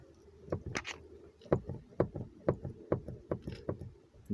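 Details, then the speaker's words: Geely Atlas knock in the middle of the body: dull clunks about every half second over bumps from a loose bolt at the door striker, which needs checking and tightening. "кончиках вот этот болт вот этот когда дверь до упора он подтягивается подтягивается ты сделаешь у качаешь вот так вот в этот момент потихоньку подтягиваются"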